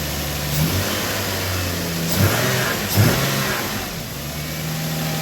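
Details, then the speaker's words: Lexus GS300 after prior work and a no-start (suspected flooding, timing belt found intact), timing cover refitted, loose vacuum line noted: smooth idle with three quick clean throttle blips rising and falling evenly, no misfire; runs smooth. "but it runs and it runs smooth"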